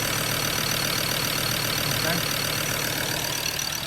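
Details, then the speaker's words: Recently bought Ford Ranger diesel at a rough idle. A loud steady hiss is exhaust blowing from a leaking EGR pipe, apparently missing a bolt, with a badly blocked EGR valve. Earlier mistaken for a coolant leak; a serious fire risk. "So that's why it looked like a coolant leak. So it's actually the EGR pipe that's leaking. Looking now, it looks like it's missing a bolt."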